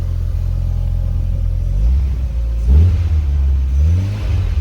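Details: 2000 VW Golf Mk4 GTI 1.8T AGU turbo petrol, after replacing a failed ignition amplifier on the airbox that caused a severe misfire: idles evenly, takes quick throttle blips cleanly, no misfire.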